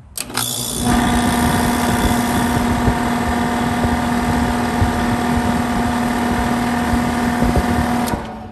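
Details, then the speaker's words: HVAC condenser fan loud, rough droning hum after two brand-new motors and a new contactor were fitted; suspected to be a faulty fan blade, OEM blade replacement planned. "it's got to be something with the blade because there's no way that i hit two bad motors in a row"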